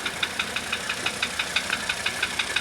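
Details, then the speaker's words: 1985 Mercedes 300D diesel idling on diesel purge after a starter rebuild, valve adjustment and new glow plugs: sharp, regular metallic knocks about six per second over a quiet idle. A pronounced knock of unknown cause. "If I can figure out this knock, um, of course it' be a really nice little car again."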